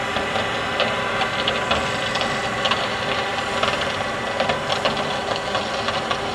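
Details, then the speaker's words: Tractor running with a constant hard mechanical rattle and uneven sharp knocks over a steady engine drone; loud knocking whose cause is not yet identified. "et le voici donc c'est ce magnifique tracteurs de merde qui c'est un [ __ ] de bruits de pas possible pour la voir"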